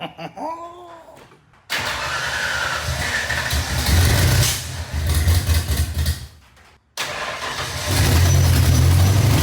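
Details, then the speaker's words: Fox-body Mustang project car, first start, with exhaust leak and timing being adjusted: catches after cranking but runs ragged, surging and nearly dying, won't idle; oil pressure around 50. "it didn't run the best but it ran y'all doesn't sound the best but it's alive"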